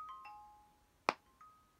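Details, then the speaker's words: 2016 MacBook Pro right-side speaker under Windows Boot Camp: soft chime tones, then one sharp pop midway; right speaker now quieter, owner believes it is broken and suspects a Windows driver issue, not reproducible in macOS. "you hear that pop right there I'm going to run it again now that popping started when I was uh playing YouTube videos"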